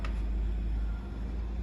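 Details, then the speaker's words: Virgo Smart swing gate motor on a small display gate during its first auto-set run: low steady hum holding even as the gate travels slowly until it finds its limit switches; the opener is running normally. "still traveling a little bit slow for a second while it's doing its first run of auto set until it finds its limit switches and then you will see it speed up shortly"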